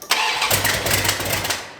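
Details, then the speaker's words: 1972 Dodge Dart Swinger, new engine first start, dry fuel system, choke wide open, timing uncertain, gas poured in: cranks and catches, runs unevenly about a second, then dies, likely when key released; fuel starvation. "We're just going to see if it'll idle for a few seconds. It's idling."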